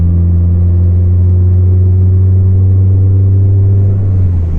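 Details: Volvo 440 under throttle, exhaust section broken apart and hanging loose: heavy, deep, boomy drone with low rumble swamping everything; exhaust leak.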